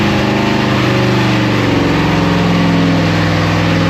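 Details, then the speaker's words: LT1 V8 from a Camaro/Firebird, refired the day after seizing from running without oil: loud, continuous, coarse and uneven roar with flames appearing; severe internal damage, with broken, twisted pistons. "It's the next day and we just seized up last night. Got my other son, Zach, with me. We're going to see if it'll refire. And this time, we're going to make it explode or something."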